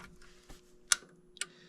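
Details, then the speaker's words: 25-year-old furnace: inducer relay clicks when jumped but inducer motor does not start, no hum; motor runs when call disconnected; owner thinks board is fine and suspects fault in the inducer motor itself. "You can feel it click. Nothing comes on. When I disconnect this call, I disconnect that motor comes on."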